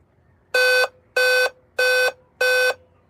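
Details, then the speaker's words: Dell laptop that won't turn on: four even, harsh mid-pitched beeps at power-on, the memory error code; RAM suspected, possibly only one memory module being recognized. "It's giving 4 bits. It could be the memory, but it could also be that it's only recognizing one memory change. Because it's giving 4 beeps. But I think it's RAM."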